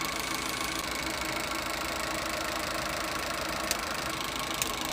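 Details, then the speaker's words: Suzuki Eeco with overheating complaint and radiator leaking, engine running warm with fan cycling: faint uneven tick and sharp clicks cutting on and off, a slight misfire on light revs. "things there is a slight misfire where on the engine basically when i give it a little rev"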